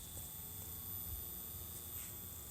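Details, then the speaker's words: TaoTronics ultrasonic humidifier after the noisy-fan fix (fan lubricated with petroleum jelly/grease and spun until free), unit opened: very faint steady fan hum with a soft low rumble, no rattle or grinding, running quietly. "pretty quiet would you say so yeah not bad"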